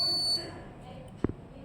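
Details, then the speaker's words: A DIY Arduino-free fire and smoke alarm (flame sensor, MQ2 sensor, 5 V relay, buzzer, 5 V adapter) is triggered by incense smoke; a shrill, steady high buzzer tone holds briefly then cuts off, so the smoke alarm buzzer is working as it should. "Project हमारा activated. आप इसके sound को बाहर भी use कर सकते हैं।"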